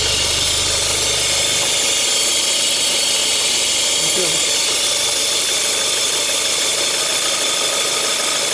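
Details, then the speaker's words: Even idle with a steady dry hissing whirr; noise stops when the dipstick tube is uncovered and returns when refitted, traced to the torn PCV valve diaphragm in the valve cover pulling air, causing an irregular mixture. "Ô, pessoal, aí volta o barulho, ó. Volta o barulho. É o seguinte, pessoal. Esse motor aqui, ó, ele tem uma bom, ele tem uma membrana aqui, uma válvula para você ver aqui dentro dessa tampa, dessa tampa de válvula aqui, né?"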